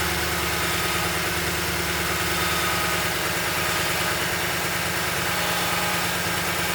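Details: Toyota Tundra 5.7 V8 holds a steady idle but carries a busy, rough clatter over the hum; strange engine noise at idle, cause not yet pinned down.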